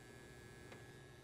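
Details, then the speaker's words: Carver M-400t amplifier, working after repair: a low, even mains buzz from the transformer under a faint high whine, steady and unchanging; slight buzz at the tweeter only, normal transformer hum. "I mean, I can hear a slight buzz if I put my ear on the tweeter, but the camera's just not going to pick it up. In fact, you can probably hear the buzz from the transformer"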